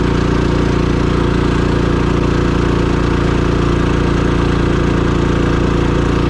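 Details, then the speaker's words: Champion 3500 portable generator in a 1990 Fleetwood Bounder motorhome, about half an hour running the air conditioner at 79°F outside: steady even drone holding constant speed, no knocks or hunting; normal running under load. "okay so it's been out here running for about half an hour under a pretty good load right in the air conditioner"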